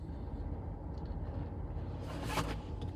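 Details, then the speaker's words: 2014 Ford Explorer Police Interceptor AWD, 3.7 L V6, 63,758 miles, check engine and traction lights on; very rough, lumpy idle, engine shaking, accelerator unresponsive, no tapping or knocking; non-mechanic suspects fuel or ignition issue. "Look at the look at the RPMs. Very rough idle. And if I accelerate it, it does nothing."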